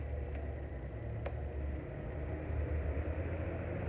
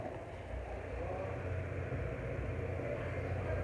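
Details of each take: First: Mondial household fan running with a steady low drone and rough hum; a customer complaint, suspected to be the shaft or gearbox because it stops very quickly; replacing the bushing fixed it. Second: Mondial household fan on its lowest speed after the front bushing was replaced and the shaft cleaned: a steady, smooth low hum, and the earlier noise is gone. The blade, taken from another fan, may be warped.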